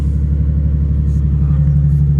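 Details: 2005 Ford Mustang after new keys were cut and programmed to the PATS immobilizer, immobilizer light off: smooth, even low rumble at idle holding steady with no knocks, misses or whine; a healthy start and idle.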